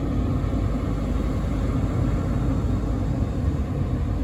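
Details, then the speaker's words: VW Sharan 7M heater blower that only worked on speed 4, after fitting a replacement 240°C thermal fuse: steady even rush of air over a low rumble, no rattle, squeal or surging; runs on speeds 4 down to 1, setting 1 very gentle. "okay I can feel that four three I still feel it blowing to one is very gentle but I think that's just the way it is"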